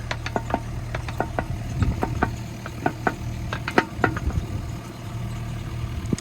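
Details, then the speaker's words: Machine idling low and steady while the attachment on a hitch whose pins fit loosely (owner thinks the hitch isn't for this machine) is rocked; irregular sharp clunks from excessive play — worn pins and bushings. "Let's have a look at this now, look. Bit of plane here, look. Whoa. Plenty of plane there."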